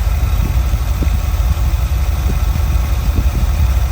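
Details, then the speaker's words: Small-block Ford 5.0 V8 in a van with newly installed Pertronix electronic distributor, warming up; steady even idle about 600 rpm, about 18 inches vacuum, choke roughly off, no misses or knocks: normal idle. "About 18 inches of vacuum right now. About 600 RPM with the choke roughly off."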